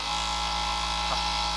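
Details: Juki MO-6814S four-thread overlocker with direct-drive energy-saving motor and under-table control box: smooth, steady high-pitched motor hum with no catches or stutters in the stitching rhythm; runs quiet and healthy.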